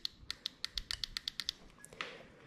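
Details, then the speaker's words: LS3 fuel injectors from 1959 Apache twin-turbo LS3 project, bench-checked after one seemed slightly seized: crisp, sharp, identical ticks about eight per second; all clicking normally. "lucky I have spare LS3 injectors if I need them they all sound pretty good now it's good"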